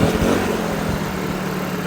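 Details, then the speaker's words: Cheap Troy-Bilt backpack blower, two-stroke, fuel treated with Seafoam, original carburetor still on, worn on the back: started first pull, smooth even drone with steady fan hum and no misfires; running normally. "Well, boys and girls, she started first pull, and it sounds good now that it's on my back."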